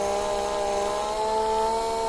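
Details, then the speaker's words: Small screwdriver motor wired as the wire feed drive in a Kaiser 310 Pro welder upgrade, run at 20% on the speed regulator: a steady, clean, even hum with no rattle; normal motor hum at low speed. "так друзі ось чуєте гуде моторчик це в нас всього лише 20% від всього що"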